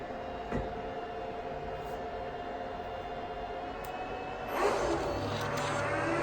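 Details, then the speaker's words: 2009 Apple Xserve (2x Xeon E5520) at power-on, single power supply connected. A quiet hum, then a click and the fans surge to a loud, steady full-speed whir. Normal startup ramp that settles once the OS loads. "now the excerpt is the loudest during the startup once the operating system loads after a few minutes it will settle down"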